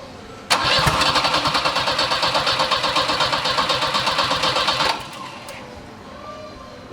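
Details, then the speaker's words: Big-turbo Volvo 740 with wiring harness fault blowing fuses, after relay plugged in and fuel pump primed: fast, even cranking near three strokes a second for four seconds, never catches; cranks hard but won't start. "try Okay wants to so hard it tried but it failed"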